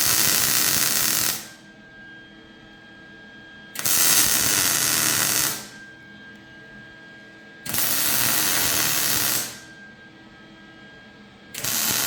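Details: MIG welding a c-notch on a chassis after a sputtering gas problem was sorted: steady crackling hiss in even bursts about two seconds long, arc smooth and consistent; welder running properly.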